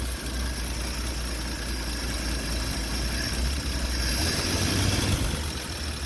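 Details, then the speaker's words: Old four-stroke Nash after the water pump and fuel pump were fixed (fuel-bowl crack capped): steady, even low idle with no knocks, rusty moisture from the tailpipe. The fuel pump is pumping. Normal idle. "Sounds great. Seems like it's pumping."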